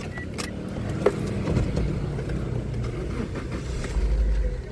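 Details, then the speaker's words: 2017 Daihatsu Sigra R Deluxe, front-wheel drive, just started: an even, steady low idle with the AC on and blowing cold, no unevenness or knocking; RPM is normal. "RPM normal, ini AC nyala, dingin sekali AC-nya."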